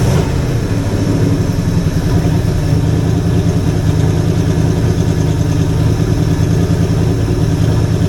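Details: Jeep engine first start after priming and a compression check. A deep, mostly even idle with a faint occasional stumble, a slight misfire the owner suspects is from a plug wire not clipped in. No smoke is seen; otherwise it sounds decent.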